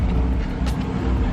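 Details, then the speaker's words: 2007 Chrysler 300C, 5.7 Hemi, at idle after alternator replacement: a low, smooth hum with the earlier whine gone, no grinding or rattling, and the charging voltage reading 13.9–14 V; normal idle. "as you hear you don't hear that whining noise anymore"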